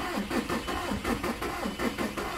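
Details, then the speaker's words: 2000 VW Jetta TDI diesel after cylinder head install with used piston and rod and timing set: slow, labored starter cranking about three strokes a second without catching, weak cranking; owner suspects air in injector lines needing bleeding. "it seems weak what's next"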